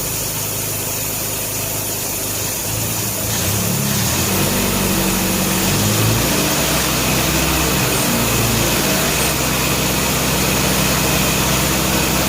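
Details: 1957 Nash Metropolitan barn find that sat for many years, running on old gas after crossed plug wires 3 and 4 were fixed, warming up: an even idle, then a smooth rev-up with no miss or stumble. Normal idle and revving.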